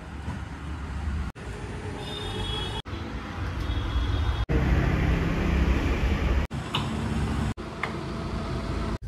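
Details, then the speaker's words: Mercedes E220D, 110,000 km, road test after front suspension overhaul and alignment following a high-speed underbody impact: steady low road rumble with no clunks, knocks or rattles, steering straight; normal ride. "And हमने एक लिया है छोटा सा trial and like the car is working absolute fine अभी वो steering भी जो है टिटेड नहीं है बराबर स्ट्रेट रहके चल रहा है एंड हैंडलिंग भी बराबर है"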